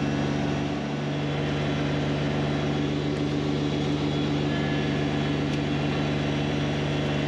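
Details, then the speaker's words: Kubota BX1870 diesel mowing tall weeds uphill with 54-inch deck, mistakenly left in high range instead of low, with too much rear ballast: steady droning whine over a labouring engine; transmission whining under load. "I forgot to put the tractor back into low gear. You'll hear the transmission whining and see the tractor struggling a bit getting up these hills with all the tall weeds and high gear."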